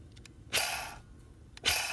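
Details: 1995 Toyota Celica clutch release (throw-out) bearing, removed from the bell housing during a clutch replacement, is hand-spun twice, each a dry, raspy whir that fades quickly: the bearing has lost its grease and is replaced.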